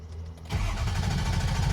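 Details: Early 2004 Ford F-250 6.0 diesel: starter churns the engine over in an even, low chugging beat without it catching; long crank no-start, cause not yet pinned down.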